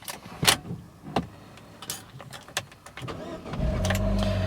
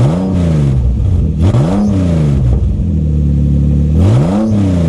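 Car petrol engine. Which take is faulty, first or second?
second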